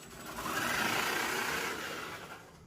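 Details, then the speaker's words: Kanyon gearbox after teardown and reassembly with damaged grub screw: smooth high whir swelling and fading evenly, much faster, previous clicking gone; normal running. "That is much faster. And that horrible clicking noise is gone."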